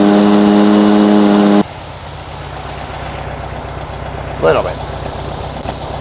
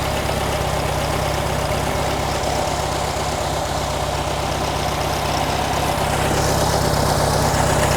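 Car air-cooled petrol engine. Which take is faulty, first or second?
second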